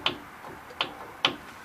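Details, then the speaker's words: 2002 Ford F-150 5.4 V8 4WD that grinds when driving, mostly turning; brakes, rotor, caliper new. Front wheel off, hub rocked by hand: three sharp dry clicks about half a second apart, play up-and-down not side-to-side; hub bearings suspected. "it doesn't move much from side to side but up and down it does"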